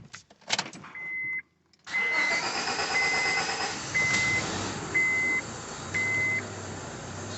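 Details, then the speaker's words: 2001 Honda Civic D17A: hard start, then lumpy, unsteady running with spitting and smoke, under a chime beeping once a second; no rpm gauge and alternator not charging. The ECU is fried by alternator voltage spikes; earlier misdiagnosed as timing. "what's up everybody um got a 2001 honda civic in here running rough hard to crank spitting and sputtering runs really really bad smokes flooding out give you an example of what it's doing"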